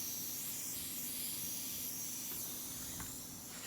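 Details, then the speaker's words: Campbell Hausfeld HL410100 air compressor after a valve plate reed and head gasket repair: steady sharp hiss with the compressor quiet. A leaking fitting is suspected, to be fixed with new tape. "all right this is where I think the air leak is coming from I swear it sounds like it's coming from anyway"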